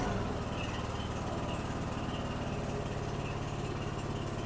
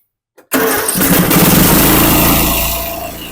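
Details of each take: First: Snapper 150Z zero-turn mower, 21 hp, 42 in deck, that turned over but wouldn't start; after repair: engine runs steady with low regular putter for several seconds before shutting off; normal running. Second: Snapper 150Z zero-turn mower, 21 hp, 42-inch cut: it cranks but won't start on choke alone, then with carburetor cleaner sprayed in the intake it catches at once into a steady, rough-edged run; choke shaft found broken.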